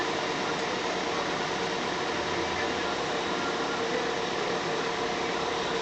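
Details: Front-wheel-drive car with manual gearbox, wheel spun on a jack after hub bearing replaced with new; smooth even rush, no hum or growl, bearing no longer droning, quiet and healthy.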